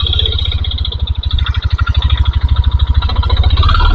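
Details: 2022 Yamaha NMAX at idle with the CVT cover and roller housing removed: a deep, regular knock on every turn persists, ruling out the CVT.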